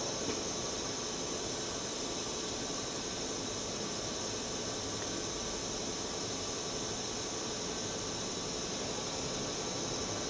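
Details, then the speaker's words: Milltronics RH30 vertical machining center, 40-taper spindle, stepping from 1,000 to 1,500 rpm with the motor shifting to its second winding. Smooth, steady hiss with a faint even tone and no knocks, grinding or whine; quiet, healthy spindle. "You can hear it's a very quiet machine. 1,000. That's 1,500. And the shift to the second winding in the motor."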